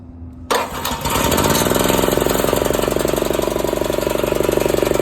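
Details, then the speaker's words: Old 8 hp Honda generator, throttle about halfway, pull-started: it starts on the first pull, catches cleanly, then settles into an even, steady single-cylinder idle with no load, with no misses or knocks. "you can tell in the video on the sound that it runs pretty good it started up first crank typical Honda engine"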